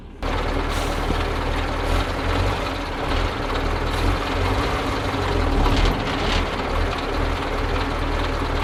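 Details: Soviet-era Kamaz diesel truck warming up at idle after first start following 6 months of storage and field servicing, brake air building; deep steady low rumble with occasional air hiss; normal warm-up idle.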